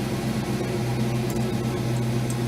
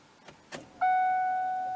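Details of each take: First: Ford Mustang that sputtered when nearly out of fuel, started after the fuel pump was heard running: a steady, even low hum with no stumbles; normal idle, though it had stalled after five seconds the day before. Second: Ford Mustang that sputtered when nearly out of fuel, key turned on to prime, recorded under the gas tank: soft clicks then an abrupt high electric whine fading over a second; owner feels the pump prime sounds abnormal, cause unknown.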